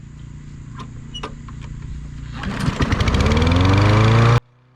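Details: Free self-propelled push mower with overhead-valve engine, left sitting outside for a while, first start after carburettor jets cleaned and reassembled: catches after a few pulls, then climbs to a steady, even full-throttle drone; runs cleanly.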